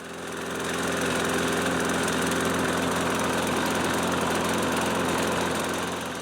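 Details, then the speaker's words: Nearly 30-year-old Toro Recycler self-propelled mower after replacing Personal Pace transmission parts and belt cover: steady, even single-cylinder drone at constant speed with no knocks or misses; brief smoke from oil seeping into muffler while tilted. "Looks like the faithful old Toro is back in service."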